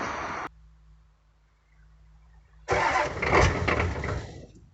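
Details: 1985 Ford F-250 6.9 IDI diesel in snow, restarted after gelled fuel was treated with anti-gel: starter turns briefly, fires with a rough loud clatter before settling; normal cold start.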